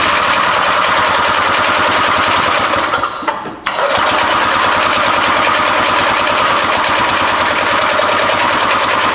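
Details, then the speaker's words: Barn-find Harley Davidson golf cart engine, cranked via jumper across starter solenoid after being badly flooded the night before: fast, regular cranking about four pulses a second, spins over but won't fire; now out of fuel. "the fact that it's actually spinning over it's a lot better than it was and now there's no more fuel in it"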